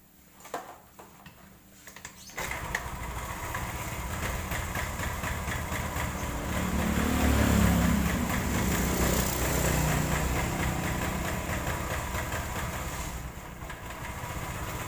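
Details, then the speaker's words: Honda Vario 110 carbureted scooter catches after a few tries, then runs rough and uneven with galloping beat as throttle opens; suspected carburetor slide not lifting, jumped timing, or charging fault. "Oke teman-teman semuanya kita kembali lagi ya di sini ada motor Vario penyakit lama oke di sini kendalanya kita mau cek itu kalau dihidupkan motornya itu seperti kuda suaranya oke"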